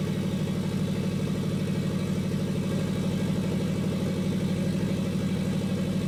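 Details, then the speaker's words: Custom turbo Toyota FRS idling: sharp regular puffing tick, about three a second, from an exhaust leak where a pipe gasket didn't seal. "that huge exhaust leak on that pipe that gasket didn't seal them"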